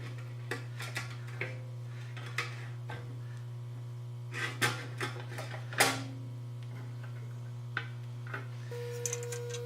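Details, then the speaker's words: Homier 4x6 horizontal swivel band saw after tightening a loose screw behind the pulley that rattled the belt guard; steady low motor hum with only occasional handling knocks; now runs smoothly, normal. "That sounds a little bit better, doesn't it?"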